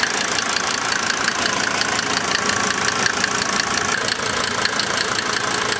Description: Rough idle confirmation of 1990 Mercedes Benz 300D 2.5 Turbo Diesel